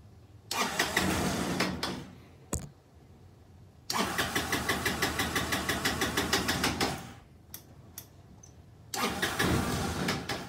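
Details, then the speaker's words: Kymco scooter with gravity-fed carburetor, fuel pump bypassed: repeated short start-and-stall bursts with a ragged, uneven putter that never settles into idle, still running poorly, so fuel pump likely fine; blocked carburetor idle jet. "so we're still running we're still running crappy so that is telling me that there's a very good chance that that fuel pump is not bad"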